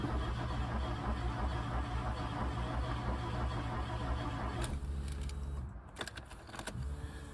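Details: MK2 VW Golf GTI 16v, unstarted for 6+ weeks, fresh battery fitted, fuel level unknown with gauge reading nothing; steady cranking about three turns a second with weak catches that never take; cranks but won't start.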